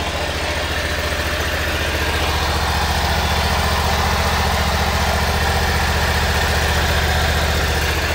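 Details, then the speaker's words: Three-to-four-year-old eXmark mower, drive belt removed: a steady engine thump with a constant dry, raspy hiss from a worn belt pulley bearing; the owner first suspected the PTO clutch, but the other bearing sounds fine and this one is shot. "this bearing sounds okay i can't even hear it this one it's shot"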